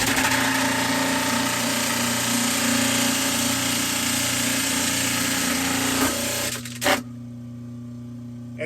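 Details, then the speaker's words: Kitchen garbage disposal after unjamming by turning the blades with a hex tool and pressing the reset button: loud, steady whirring roar over a low hum, then clean shutoff; spins freely, normal. "so now when we throw that switch now you can hear the disposal turn on and it's really just as simple as that to fix your garbage disposal"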